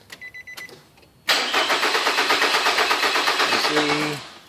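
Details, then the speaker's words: 2006 Nissan Altima 2.5L, previously given a replacement engine elsewhere, with the fault shown on demand: the starter cranks evenly at about three turns per second for about three seconds but never catches. The mechanic first suspected the crank sensor; powers and grounds were checked, cause unconfirmed here. "we're going to try to turn it on right now and it's going to it's going to crank but not start"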